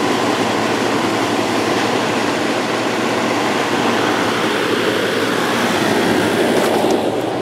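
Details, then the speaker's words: GE (Fedders) 10k BTU window air conditioner after cleaning coils and base pan: constant rushing airflow over a smooth steady hum with compressor running, no rattles or squeals; running normally. "This thing has a real nice sound to it."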